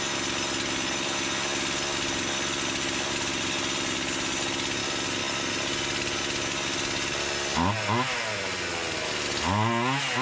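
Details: Stihl MS170-type Amazon saw, just fitted with a stock OEM Stihl carburetor, started from an empty carb at half choke: steady high two-stroke buzz with clean throttle blips; runs crisper, less smoke than with the Holzfforma carb.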